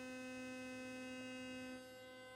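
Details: Philips Sonicare HX683B toothbrush, previously buzzing loudly with loose head and not cleaning, after repair: clean steady hum at constant pitch for about two seconds then off, running normally.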